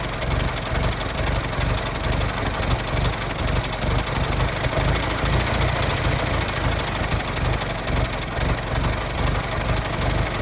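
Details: 1916 Federal Motors truck small four-cylinder, first run after 50-60 years, bottle-fed fuel, block not yet warm, no coolant as radiator leaks: steady, even low thumping idle about two beats a second, no knocks or misses; normal idle.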